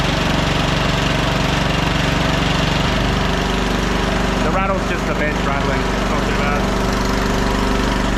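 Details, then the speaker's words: 1500 W auction generator under heat-gun load (1350 W setting; 2000 W setting also tried briefly, too much): steady drone dips and settles as load comes on, then runs evenly; would run all day at 1350 W. "at 1350 WS on that heat gun it would run all day so yeah I'm going to call this little one done"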